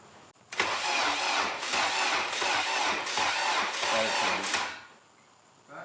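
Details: Honda K20A2 engine's first start-up after build and wiring work; short crank, fires right away and settles into a steady even idle with no misses or knocks, healthy start.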